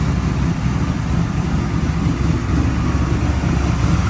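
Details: Chevrolet C10 V8 pickup on Hot Rod Power Tour after failed fuel pump replaced, 6 psi fuel pressure: low even burble, steady with no stumbles or ticks outdoors; idles cleanly.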